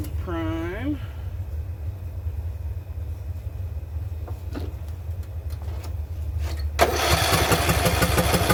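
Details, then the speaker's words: Craftsman LT2000 riding mower, small single-cylinder engine, run after sitting about a year and after fixing surging: starts and settles into a steady, even idle with no surging or hunting, just a touch low; idle screw to be raised slightly. "the idle seems to be a little bit low like i said there's an idle screw right on here"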